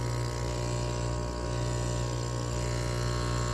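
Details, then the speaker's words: Aquarium air pump, lid off, after a part was replaced with silicone wire insulation: a low, steady mains-rate buzz with no rattle or flapping; it runs smoothly and quietly. "Cool, that's about as quiet as it's gonna get. I guess that worked."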